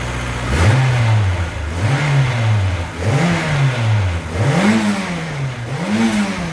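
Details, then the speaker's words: AWD Honda Civic EM2 with new turbo and new full 3-inch open exhaust (no baffles, ovalized pipe), just after first start: five clean throttle blips rising and falling smoothly with a soft, very quiet exhaust note and no ticking; healthy. "Super quiet here. Listen. Yeah, it's got to spit out all that water, all that humidity and condensation. But it sounds good, dude."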